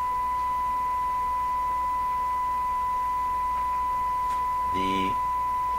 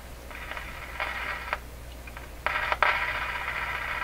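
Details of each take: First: Westinghouse 636 radio output stage after capacitor and component changes, fed 1 kHz from signal generator: steady pure tone, faint hum, harmonics 18 dB down, no buzz or distortion; output plays cleanly. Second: Westinghouse 636 tube radio during output-stage capacitor and component replacement: hiss and static swelling in uneven bursts with sharp clicks and crackles; intermittent clicking, cause not yet found.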